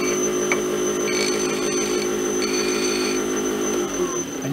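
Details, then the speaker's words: Wood lathe at full speed turning acrylic pen blanks between centers on adapter bushings instead of a suspected bent mandrel, parting tool applied: steady, even hum, no chatter or wobble; blank spinning true. "And you can hear there's a nice smooth sound, which means we are spinning true. If you hear any vibration, if the tool bumps or bounces, you need to stop and adjust."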